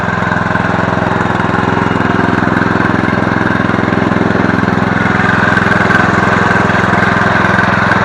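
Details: Murray riding mower, 17.5 hp, 42-inch deck, revived from non-running with basic maintenance, new blades and a replacement carb; steady even idle with regular firing beat, no misses, surging or knocks, healthy.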